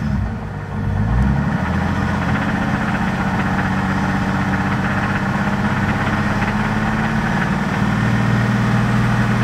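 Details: 1990 Toyota Supra 7M-GTE idling with a quick regular knock of about four a second under a low rumble; sudden knock appeared pulling out of driveway, owner suspects rod knock, bottom end untouched after previous owner's rebuild.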